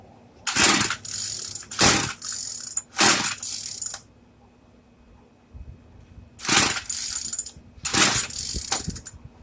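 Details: Craftsman two-stroke weedeater, stored after six months' use and stopped running, primed with choke on: repeated second-long pull-cord rattles with pauses, engine never catching; hard starting.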